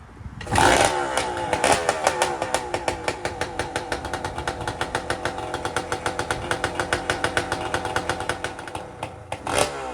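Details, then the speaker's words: Honda Grom with swapped KTM EXC300 two-stroke engine, first start: crackles to life, then crisp, steady popping as it's blipped and held; normal two-stroke running. "well oh man what an experience to finally hear it fire up and go for a little ride down the garden"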